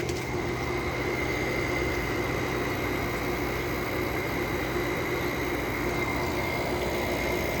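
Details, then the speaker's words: Small low-end Fedders window air conditioner with Samsung rotary compressor, outlet air 45 degrees and dropping: even, steady hum with constant pitch and no knocks; compressor runs very smoothly, normal. "i also want to mention that the samsung rotary compressors these things are really smooth these are one of the best running rotary compressors i've ever seen"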